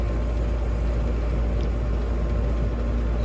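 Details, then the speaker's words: Amana heat pump outdoor unit after a no-cooling call, running again after rewiring the common feed to capacitor and components: steady low compressor hum with even fan whoosh, no clicking or cycling; normal running. "but anyway we're back up and running and find out what else they want us to do"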